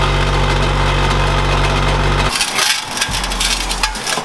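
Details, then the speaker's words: Honda Integra with aftermarket twin-loop muffler: steady engine drone with loud loose metallic rattle that stops when the muffler is held by hand; muffler-to-pipe joint broken, needs welding. "I know you guys can hear that because it is horrendous. So if I put my hand and hold it, you'll notice the rattling disappears. And then I let go and it's back."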